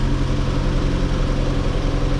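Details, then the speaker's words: Mazda MX5 NA Eunos Roadster after replacing the leaky valve cover gasket: a smooth, even low idle with a steady rumble and no ticks, knocks or misses. It sounded much better straight away on startup. "it started up it sounded a lot better straight away as soon as it started"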